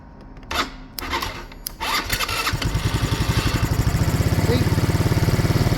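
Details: Scooter that wouldn't start, fixed by repairing a hidden broken cable after starter and solenoid checks: a few clicks, brief cranking, then immediate catch into a steady, even idle; normal start.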